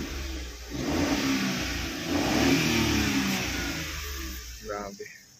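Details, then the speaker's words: DA16T manual 4x4, engine detailed this morning, revved in place: two smooth, even rev swells settle back to a quiet idle with no knocks or rattles. Quiet engine; healthy. "Tahimik na makina niya guys."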